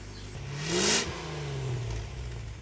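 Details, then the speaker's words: Land Rover Discovery V8 with old downpipes refitted and new stainless muffler and tip: quick blip and smooth deep burble, no ticking or hissing; exhaust sounds okay, leak-free. "well for now I've refitted the old down pipes I know that's a bit of a copout but it's done sounds okay and there are no"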